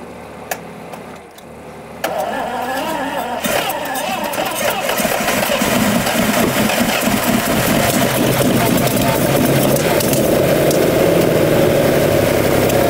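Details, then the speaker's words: 1971 Lamborghini Espada Series II V12 barn find after spark plugs removed and refitted: cranks, catches within a second, settles into a quiet, smooth, even idle with no misfires or rattles; normal start and idle. "hey listen to that herself so so quiet and happy the sweet little Italian kitten that is amazing sweet is it really really nice wow I wasn't expecting it to be quite this Placid"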